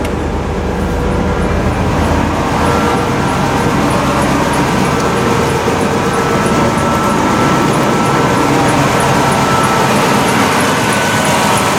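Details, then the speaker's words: 1991 Ford F-150 300 straight six, quick cold start in winter: loud raw rasping idle, sharp pulses about four per second, nothing muffling it; exhaust missing, owner suspects possible exhaust leak. "here's the 300 straight six my exhaust is missing as you can see down there it still might have an exhaust leak anyway"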